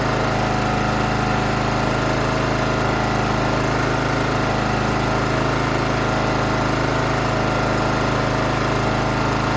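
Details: John Deere GT275 with a Kawasaki engine, after replacing a broken valve spring, adjusting the valves and fitting a new valve cover gasket: a steady, even beat with no ticking or stumbling from the top end; normal running.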